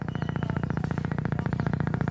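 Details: China CRT TV kit on series supply: fast low gurgling pulses about thirteen a second from the speaker as the power supply hiccups and the TV won't start, caused by a short on the supply output.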